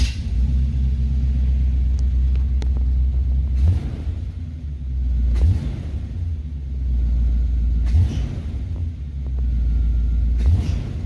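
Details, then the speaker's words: 1976/1977 Corvette with Rochester Quadrajet 4-barrel carb, after adjusting secondary tension to fix bogging: deep V8 idle with four quick throttle blips that rise cleanly and settle, quick response, no bog. "see no more bugging now it's a quick response and no issues"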